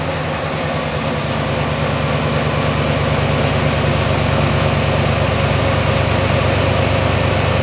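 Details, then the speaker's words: LS-swapped V8 (GQ Patrol, 6L80e) idling with a deep uneven beat, a stumble about three times a second from one dead cylinder; misfire traced by swapping plugs to wiring of the number six injector plug. "all right so a nice little exercise uh proved that it is an issue with the injector wiring or the wiring to number six injector plug"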